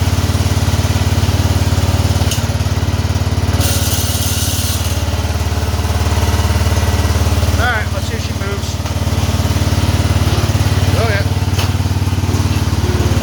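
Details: Cub Cadet 2146 garden tractor, after transmission repair, PTO working, tractor starting to move: steady, even low drone holding a constant beat, no misses or knocks; running and driving healthily.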